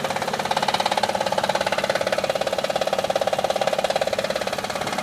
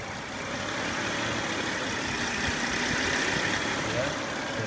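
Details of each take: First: Honda Odyssey at idle: rapid rattly ticking, about two or three beats a second, caused by a worn timing belt tensioner. After replacing the tensioner the engine was very quiet. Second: Honda Odyssey after replacing the noisy timing belt tensioner: steady, quiet idle with a smooth, even hum and no chirp, rattle or ticking from the belt area; normal idle after repair.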